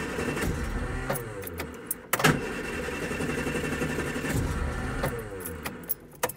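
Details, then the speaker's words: Austin Allegro after swapping in a spare coil of unknown condition: cranks and catches, then surges and sags with the throttle floored and keeps dying; a sticking carburettor float needle is suspected, cause unconfirmed. "sometimes it just will not run on i've changed the coil but obviously i don't know if this coil that i've got as a spare was any good itself um it still won't start now"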